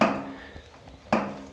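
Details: Mountain bike front suspension fork (coil spring, not air, said to be new, a few weeks old) gives two sharp hollow knocks about a second apart as the front end is loaded; knocking inside the fork, owner suspects rebound, cause unclear.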